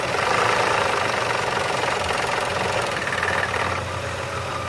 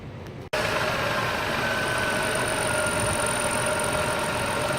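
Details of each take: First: Car engine idling before an oil change: hard, metallic clanging knock about four times a second; the oil drained from it was shown and the noise was absent after the oil change. Severe engine knock at idle. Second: Engine after an oil change: smooth, even idle with a steady hum and faint high tones; the earlier severe clanging knock is gone.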